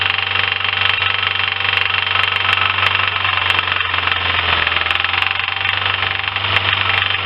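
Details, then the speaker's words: Lifan car engine at idle with a dull knock of about two beats a second. Acoustic stethoscope places it in cylinders 2–3, with no extra smoke. Oily spark plug deposits suggest stuck rings and oil in the cylinders; unconfirmed. "итак проблема штук двигатели делаем диагностику акустическую скота скопом показывает стук во втором-третьем селе не было ни повышенная дымность"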